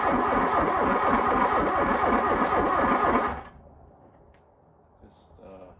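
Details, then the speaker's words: 1987 VW Scirocco 16V, sitting over 20 years: about three seconds of sluggish even cranking, then it stops without firing; owner says it lacks enough to spin decently; slow cranking, no start, cause unconfirmed. "seem to have enough I mean it's got a a little bit more but it's just doesn't seem like it's got enough uh to uh get that spinning decent"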